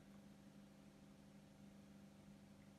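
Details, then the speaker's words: Bosch WFF2000 washing machine on 40-degree coloured cycle, in rinse: faint steady low hum from drain pump with no water movement; drain pump failed, replaced with spare. "So it sounds like a pump fault, actually. It's humming. It's gotten as far as rinsing. It's in a rinse. And the noise appears to be coming from the pump."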